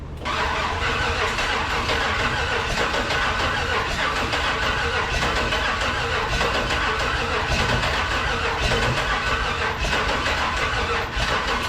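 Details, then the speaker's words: LS-swapped 1948 Dodge rat rod: starter cranks at a steady pace with only faint pops but the engine never catches; crank-no-start, lacking fuel. "right kind of sounds like it's popping a little bit it wants to got to make sure we give your starter a little cool down period"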